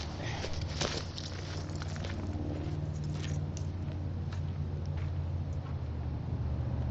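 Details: 1985 Monte Carlo SS V8, cold start after sitting 14 years, now a daily driver; it burns oil from worn valve stem seals: low, lumpy, steady drone, running rough because the electric choke is broken.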